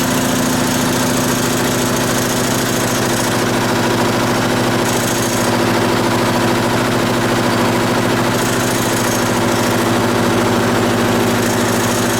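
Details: Onan BF 16hp twin with DD11 carburetor after pulse fuel pump rebuild, choke on, first run: steady, even twin-cylinder beat at constant speed, no misfire, no fuel leaks; normal running.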